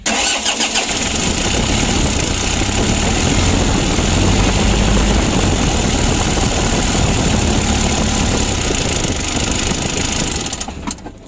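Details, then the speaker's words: Mitsubishi L300 diesel, hard starting and lacking power, cranks and catches, clatters unevenly on held throttle, then dies once the pedal is released; idle set too low, so the pump idle is adjusted. "kalau tidak digas Pendem seperti ini itu tidak mau hidup jadi terpaksa kita Setel ya"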